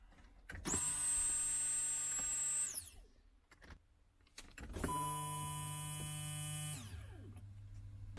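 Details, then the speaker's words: Turbo BMW E36 after fuel pump repair, key turned to on: two short runs of steady high-pitched electric whine starting and stopping cleanly; fuel pump operating normally. "i cranked the key with nothing on top and all right please work oh it worked so fuel pump works"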